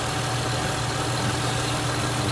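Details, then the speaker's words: 2005 Ford Mustang 4.0L V6 after water pump and thermostat housing replacement, running a couple of minutes and starting to warm up: smooth, even low idle hum with no ticks or knocks; normal idle. "okay so we just started it up there it's been going for a couple of minutes it's just starting to warm up a little bit there"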